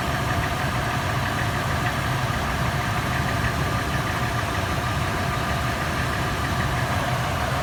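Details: Toyota FJ, warm start, early in warm-up. A fast, steady metallic clatter rides over the idle, later turning into a slower, sharper tapping or knock; the tap is faster in park and neutral and slower in drive under load. Top-end tapping, cause unknown.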